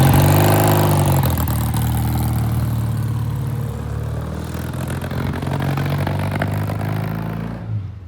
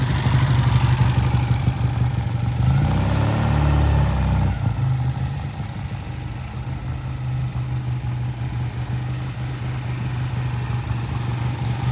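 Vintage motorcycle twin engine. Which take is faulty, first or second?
first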